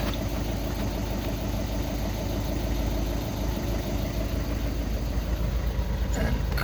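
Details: Skoda Octavia 2 diesel after crankshaft sensor (G28) replacement and fault clearing, cured of no-start/hard-start with glow plug light: steady, even diesel clatter with a smooth low rumble, no misses or stumbles; normal clean idle.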